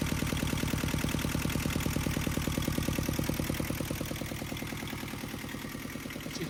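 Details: Yanmar 2GM20F two-cylinder marine diesel in a 1991 Hunter 30, after replacing a wobbling raw water pump: steady, even chugging with no wobble, knock or rattle; pulley wobble fixed, alternator belt still loose; normal running.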